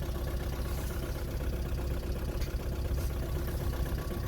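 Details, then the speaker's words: 2009 VW Golf 1.6 TDI (CAYB, 90 hp) diesel idling unevenly on three cylinders, codes P0203 and P0606; owner believes injector number three has failed, before injector replacement. "as you can hear the engine is running on three cylinders and the reason that is is I believe my injector number three is gone"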